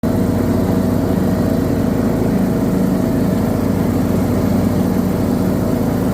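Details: Briggs & Stratton 19 HP twin on a John Deere D110 mower running loud under load with an uneven beat and irregular stumbles: the engine surges and misfires under load.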